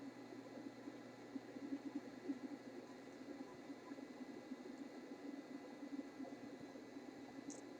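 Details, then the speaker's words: RCA Victor 94BT1 radio at second power-up after all tubes tested good, tuned near top of band with test signal: only faint steady hiss and low hum, no tone heard; receiver not picking up signal, cause unknown. "Hey, it's a no-show. Didn't hear a thing there."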